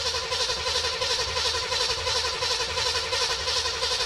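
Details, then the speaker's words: 1973 Chevelle Malibu with a freshly installed 327 V8, all plugs in: even, steady cranking at about three compression pulses a second with no knocks or misses, 30 psi oil pressure at crank; starter turns it over healthily. "30 lbs at crank we'll take it we'll take it sounds healthy at crank"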